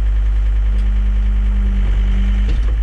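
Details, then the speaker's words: John Deere skid steer diesel idling after joystick electrical repair that cleared the left-joystick-out-of-center code: steady low drone, even hum, no knocks or misses; machine working with no codes. "no codes so that's a fix guys so Machines working as it should now I'm gonna go ahead and shut it off so you can hear me um Machines working no codes"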